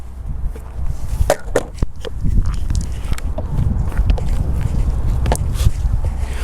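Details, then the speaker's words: Longboard rolling after squeaky trucks were fixed by tightening the kingpin nut to preload the bushings: low rolling rumble with a few clacks, no squeak or creak; board now rides quiet. "больше нет можно подкрасться кому-нибудь незаметно"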